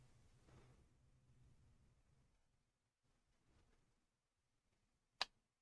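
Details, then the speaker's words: Sansui AU-717 amplifier after rebuilding the power amp module board, powered up on a dim bulb tester (bright, then dims): near silence, then two sharp relay clicks about half a second apart. It clicks out of protection normally; the offset pots were not yet preset. "It even clicks out of protection."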